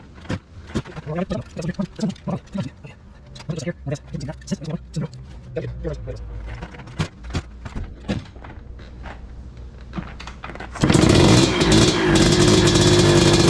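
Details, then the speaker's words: 1986 Tecate 3 two-stroke, freshly rebuilt with new bore, piston and rebuilt crank, first start in many years: a run of kick-over thumps, then it catches and holds a busy, buzzing idle. "There we got some fire, boys. Yes. Yeah. Thank God. Finally. And it sounds like a freaking four-wheeler or whatever."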